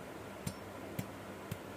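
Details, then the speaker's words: Chainsaw engine parts rocked by hand: three light, crisp ticks about two a second, slight piston play, somewhat worn but still usable. "masih ada ting centing ya. Tapi kalau suaranya sudah mulai tak tak tak, ya. Kalau ini masih ya sudah sedikit agak rusak, tapi masih layak pakai."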